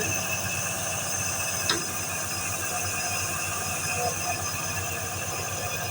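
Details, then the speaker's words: Packaged air conditioner unit: steady high-pitched squeal over the AC hum from a worn motor bearing; bearing number to be checked and bearing replaced. "ये आवाज कर रहा है इसका देख बरिंग कितना नंबर है लाके चेंज करना पड़ेगा"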